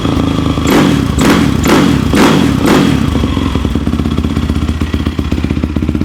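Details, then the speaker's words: Yamaha YFZ450 quad after rebuild with starter clutch repaired: single rev with heavy thumping bursts about twice a second, then rapid idle patter; owner dislikes the noise, cause unknown, otherwise running pretty good. "See, I don't like that noise it makes right there."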